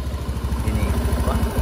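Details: Honda Beat Street scooter after clearing MIL code 12 (injector) blinking: small engine idles with a steady, even low putter; no misfire or stumble, running right.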